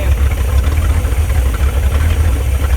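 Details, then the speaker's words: Abandoned Chevrolet C10 project V8 idling with good oil pressure: deep, even burble with a steady low thump and no knocks or misses; healthy and settled. "I think that's a pretty healthy motor if you ask me."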